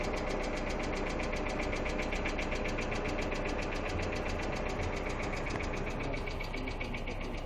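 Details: Hyundai Accent II idling with a quick, even light ticking of about two to three clicks a second over a steady idle: noisy hydraulic lifters.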